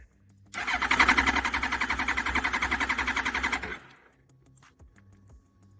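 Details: Suzuki Hayabusa after sitting, relay primed pump twice: fast, even starter cranking about three seconds with no firing, spins over well but won't catch, cranks but no start.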